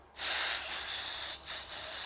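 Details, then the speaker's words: 1981 Harley Ironhead Keihin butterfly carburetor, cleaned for stumble on acceleration, upside down, air blown through fuel inlet: airy hiss stops as float presses needle shut; float needle valve sealing normally. "air flows through a little pressure on the float air stops"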